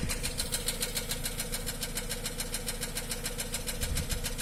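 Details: Nissan Almera N16 at idle, no exhaust smoke, oil control rings reportedly replaced; crisp, even ticking about 3.5 per second over a smooth idle. Valve tick suspected, not confirmed.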